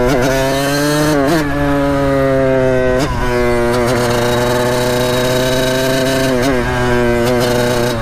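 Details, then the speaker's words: 1989 Kawasaki KX80 big bore two-stroke after jet replacement, still untuned and earlier bogging from half throttle: revs blip and fall with a ragged, hesitant pickup. Late power band, but better than before. "obviously that does not sound correct oh yeah it's a little bit better than before so we're making progress"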